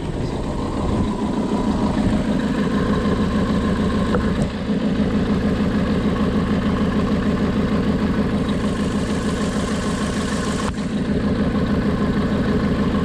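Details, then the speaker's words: Persistent misfire, idling real rough with unsteady rpm; the pulled plug wire shows no spark jumping, so one cylinder gets no spark: uneven lope with an irregular stumble in the exhaust beat; misfire from a failed ignition coil pack. "but it is running pretty rough i'll show you here yeah if you can't see that maybe the rpms will give you an idea but real rough"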